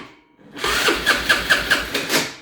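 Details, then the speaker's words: Kazuma Jaguar ATV sat about three years, carburetor cleaned, cranking: harsh metallic grinding about five times a second as the bendix lets off, then fading; owner says it needs a starter and probably a bendix. "of course on video but you can hear as the bendex lets off it's making that grinding sound"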